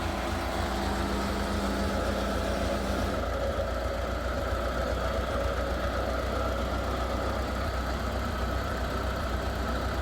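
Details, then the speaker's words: Massey Ferguson TEA20 tractor at idle after a service: the switch clicks the solenoid and a steady starter-motor whir runs about three seconds over the idle, so the starter motor is staying engaged while the engine runs. "you hear that stuff motor do it again that switch clicked on which is obviously clicked the solenoid and then the St motor's gone on"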